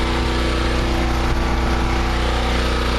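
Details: Generator with new exhaust elbow on 3/4" conduit: steady, even drone at constant speed, no knocks or clanks; runs okay with choke and carburetor fine, though an earlier unexplained noise and some pieces found near it remain unidentified.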